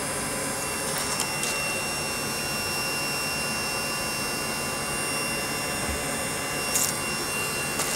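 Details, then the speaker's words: Webasto Thermo Top C diesel water heater, bench test run before fitting to a narrowboat: even rushing roar with a steady fan hum and faint dosing pump clicks throughout as it goes through its cycle normally. "just going through its cycle obviously it takes a little while"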